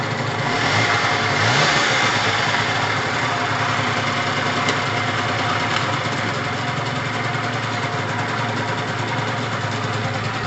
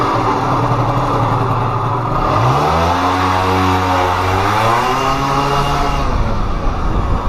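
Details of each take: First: Gilera DNA 50cc two-stroke, cold start with triple the normal oil mixed in: catches quickly with a short rev, then settles into an even, steady idle with no misfire or knock. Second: Pulse Force 50cc two-stroke on a speed run after warming up: buzz climbs, holds briefly, then sags and fades instead of pulling on; engine cutting out at speed, owner suspects fuel starvation.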